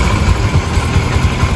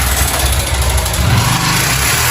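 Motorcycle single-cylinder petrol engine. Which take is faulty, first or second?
second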